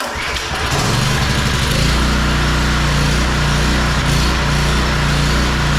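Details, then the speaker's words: Small single-cylinder pressure washer engine, formerly non-running, after carburetor work, idling without its air filter fitted; sounds better but speed still hunts slightly up and down, a mild idle surge. "Well, it certainly sounds better. All right, so from here, it still sounds like it's surging just a little bit at idle, but I want to put the air filter on first before we do anything else."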